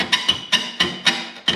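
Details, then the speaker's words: 2014 Harley-Davidson, rear exhaust rocked by hand during service: six sharp ringing clacks from worn rear rubber exhaust mounts. Owner notes it sounds like this when hot and had used Teflon tape over squeaking; mounts being replaced both sides. "That's what it sounds like when it gets hot. Harleys don't sound like that."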